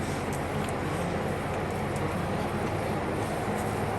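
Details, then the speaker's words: 2023 Midea U-shaped window AC showing error EH03: steady low compressor hum with no fan or air rush and no air coming out; indoor fan motor failure. "so now the compressor's kicking on trying to trying to get the the air out there is no air coming out cuz I can't feel it from where I'm at"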